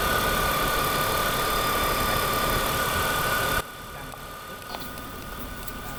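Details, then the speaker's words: BMW E46 M52TU idling after DISA valve replacement (old valve's rubber membrane likely torn): steady, even idle with a faint constant hum and no flutter, hiss or intake rattle; normal idle after repair. "เดี๋ยวผมจะเทสตอนติดเครื่องให้ดูเนาะว่าลักษณะการทำงานของตัว่าวาวเนี่ยจริงๆเราก็เทสได้นะเทสตอนติดเครื่องนะครับจะเห็นว่าก้านมันดึงเข้าดึงออกยังไง"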